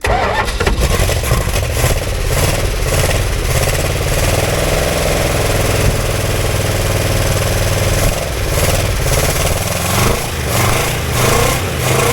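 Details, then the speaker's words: Barracuda with a 273 V8, fired with gas poured down the carburetor: cranks, catches and settles into an even, steady idle with no knocks or misses; it runs. "holy cow I can't believe it it runs"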